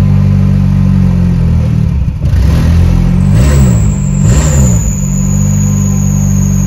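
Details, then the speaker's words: Car with ignition on and fuel pump heard: the engine catches, revs rise and fall under throttle, then it settles unevenly and won't keep running. "Енді оталдырып көрейік қазір. Көлік оталып кетті. Бірақ кейін өшіп қалды."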